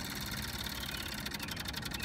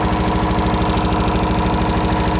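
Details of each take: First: MEP003A military diesel generator, 900 hours, hard-starting: fast light electric ticking under a quiet hiss as the fuel pump primes, slowing as pressure builds; normal priming. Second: MEP-003A military diesel generator, 900 hours, new oil and fuel filters, fuel system flushed: electric fuel pump heard slowing as pressure builds, then a steady chug about 130 beats a minute settling to even idle; slow to start, but runs.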